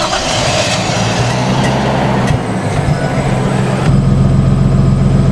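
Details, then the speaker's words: Nissan R32 Skyline after swapping in the 240's fuel pump to fix a failed pump: engine catches and settles into a steady, even idle with no stumble; fuel delivery restored. "Yeah, so definitely was fuel pump. Super frustrating, but Skyline's back."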